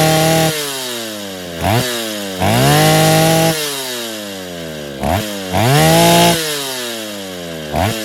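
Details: Freshly rebuilt Stihl 070 chainsaw (bottom end reassembled, new seal; no choke, cover or bar, clutch unfinished) blips from idle to sharp high revs and back with clean rising and falling pitch, no misses: normal running.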